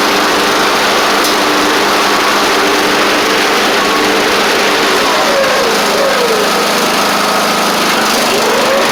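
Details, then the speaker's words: Traded-in Craftsman Wizard rider mower, small single-cylinder engine holding a steady, even drone with no knocks, misses or surging; engine and drive seem fine, and the work needed is on the mower deck (stretched deck belt, possibly rusty pulleys). "drive seems fine engine seems fine so most of the work is going to be associated with the mower deck here"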